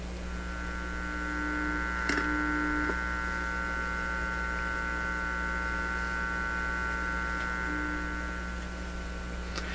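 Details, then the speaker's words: Heathkit IT-12 signal tracer on the bench, RF input fed about 4–5 MHz from a weak signal generator: only a steady low mains hum with faint ticks, no signal passes; no RF signal, hum only. "that's not doing much but there's not much output here let me crank it up oh actually there is that's well it's not a very strong signal generator [Music] sounds like a nothing to me"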